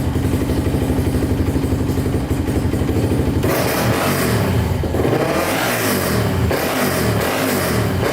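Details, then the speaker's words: Used Polaris Outlaw 525 quad the seller said needed a carb cleaning; started with jumper cables. Single thumps steadily at idle and picks up cleanly on quick blips in neutral with no knocks. Sounds really good, nothing apparently wrong. "sounds really good doesn't sound like anything's wrong with it at all"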